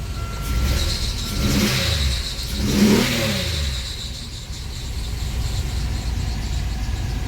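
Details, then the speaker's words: 2000 Grand Am with rebuilt 3.4L engine from a 2005 Impala, first start, MAF and airbox not yet connected: two smooth revs dropping to a quiet, even idle, no knocks. "It runs. It actually seems to run pretty well."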